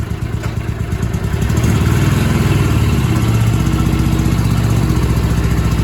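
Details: Barn-find Honda SilverWing GL500 motorcycle, sat for decades and later cleaned up, given a new key and a new valve stem: low, throbbing twin idle that picks up as the throttle opens and holds a fairly even beat with some light clatter.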